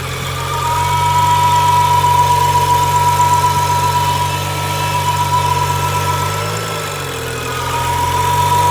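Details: 2011 BMW N55, warm engine, idling rough and up and down, with a steady high whine near the firewall on the passenger side that lingers 1–2 s after shutoff; steering feels softer, traction light flickers, steering fluid is fine and the oil pan gasket was recently replaced.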